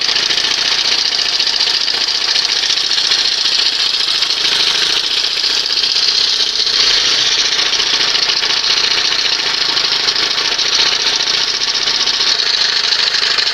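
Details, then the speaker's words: 1971 Johnson 20 HP outboard after swapping to a smaller late-80s carburetor: steady, even, high-pitched buzz with no surging or misses; runs better and much quieter with the smaller carb. "So this is a case where she runs better, sounds better, much quieter with the smaller carb."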